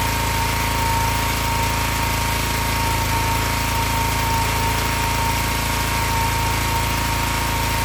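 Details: Excell XR2500 pressure washer (DeVilBiss), 5 hp Honda single-cylinder, after replacing the bad spark plug that made it run rough and stall after 15 seconds; carburetor only had slight bowl debris. Steady even beat, no misses or surging: normal running.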